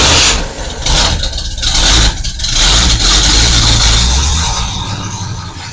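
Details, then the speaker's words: Rebuilt engine, first start for camshaft break-in, carbureted, temporary exhaust: catches right away and rises into a loud steady rev with an uneven throb; started right off, normal start. "Started right off, so I'm happy with that."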